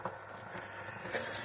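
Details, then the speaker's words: Eyesen 8mm Movie Maker Pro film converter capturing on Super 8 setting: soft, quiet rustling of film winding onto the take-up reel, no chattering; normal film winding noise. "If you're watching it, you'll usually hear it chattering. The noise we're getting now is just the film going onto the reel."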